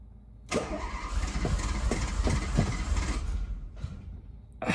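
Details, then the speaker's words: Renault Alpine GTA Turbo, mid-engine, left sitting in storage for years; first start attempt after cleaning the fuel system and checking electrics and compression. Steady starter churn with regular firing pops, fuel pump audible; it keeps catching but never runs. Owner wonders if a clogged fuel filter was the cause. "Oh! It's trying now. Okay. Why is... I heard the fuel pump. Dude, it's like actually trying now."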